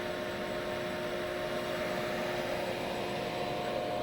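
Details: Siemens MicroMaster 440 drive (6SE6440-2UE31-1CA1) test run after repair, motor ramping slowly up to speed: steady, even hum with a clean whine, no knocks or rubbing; drive and motor run smoothly.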